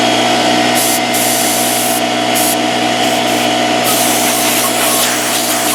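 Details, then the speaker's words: Porter-Cable 6-gallon pancake air compressor (1.5 hp, 3.5 SCFM at 90 psi), after repair of a broken copper line that had stopped it building pressure: a loud, steady rattling piston-pump hammer running evenly without stalls. It runs normally, about 70 psi and holding. "but we're about 70 pounds right now and clearly it seems to be holding pressure and working"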